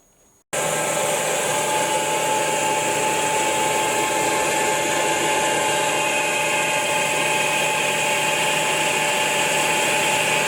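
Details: Truck flywheel being resurfaced on a grinding machine with a rotary table, after the clogged stone wheel was dressed: an even, continuous grinding hiss without chatter or pitch change, a clean normal grind.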